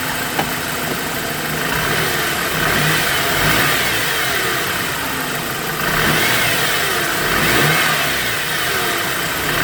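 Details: BMW E90 engine revving and settling with a thin high whine from the front climbing and falling with revs; belts and bearings being checked, source unknown.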